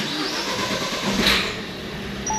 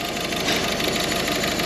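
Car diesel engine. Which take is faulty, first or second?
second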